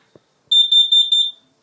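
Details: Kidde smoke and carbon monoxide alarm with talking voice: four quick shrill beeps at one high pitch in a tight burst; the alarm's test tones are sounding properly.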